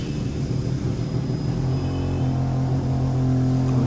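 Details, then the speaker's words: New Ola S1 Air electric scooter: motor hums loudly from below and slowly climbs while the wheel spins with no throttle applied, the motor spinning without throttle. "छोड़ tyre दिखा ये देख अपने आप ही चल रही है ना बिना एक्सलेटर लिए हुए ऊपर से देख कुछ एक्सलेट नहीं दे रखा गाड़ी अपने आप हिल रही"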